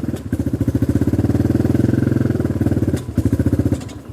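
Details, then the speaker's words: XR150 clone single-cylinder bike, kickstarted: chugs evenly at low idle, falters near three seconds, catches briefly and fades. It dies when throttle is opened or the choke is released; owner concludes a carburetor problem. "As soon as I open up the throttle, it dies. It starts, but classic carburetor problem. As soon as you let go of the choke or give it gas, it dies. So it's definitely an issue with the carburetor."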